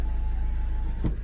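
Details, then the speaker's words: Mahindra XUV500 W10 after sitting three months unused, rear left power window test; short steady electric motor hum about a second, then soft clunk stop; power windows work normally. "Clear right கிரியர் right and rear left பாத்துரலாம். கிரியர் left நீட்டா work ஆகுது."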